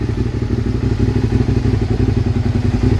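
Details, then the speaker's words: Motorcycle after ignition switch and starter relay replacement and bridging the faulty clutch-handle kill switch: even, rhythmic thumping idle with light clatter, steady speed; starts and runs fine, no-start traced to kill switch. "but it's yeah it's it's a kill switch problem man does that sound good yeah buddy oh I'm so happy about that"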